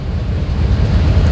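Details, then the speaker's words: 2001 GMC Yukon 6.0 V8, about 23 years old, with codes P0300 random misfire, P0174 fuel trim lean and P0151/P0154 oxygen sensor faults. Uneven, lumpy low idle with irregular thuds that shake the phone; the engine is rough-running with a misfire, cylinder not yet identified. "even you see I'm I'm I'm I'm as I'm talking to you you see my the phone is shaking okay that means the car is not running smooth okay"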